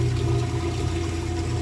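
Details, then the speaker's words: Kenmore Elite king-size top-load washer switched to spin: steady low hum with mid-pitched whine and water gurgling, no grinding or rattle; drain pump emptying water normally. "Go ahead and just switch this over to the spin cycle. Oh, maybe a little too far there. We'll go right about there. You can hear it draining the water"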